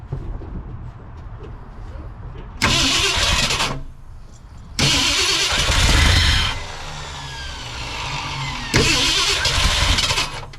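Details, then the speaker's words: 1968 Ford F100 after 4-barrel carburetor conversion and timing chain install: three long cranking bursts a few seconds apart, catching unevenly and fading each time. Hard starting traced to a vacuum leak, a thumb-size hole. "that is an issue with a vacuum leak somewhere crazy we figured out where our vacuum leak was coming from didn't we old man yeah about a thumb size hole"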